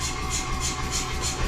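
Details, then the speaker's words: New Anyang 106 power hammer, freshly installed with bolts not yet torqued and back guard off, ram disengaged: low steady motor hum with regular airy pulse about three times a second, no knocking; idling normally. "So let it sit here and idle."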